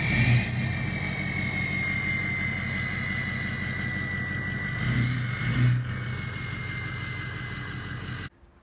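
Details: Ford 6.0 Powerstroke diesel through a 4-inch exhaust with 6-inch tip, before injector replacement: loping uneven idle from the failing number 1 passenger-side injector, which sets a cylinder contribution/balance code; misfire from failing injector.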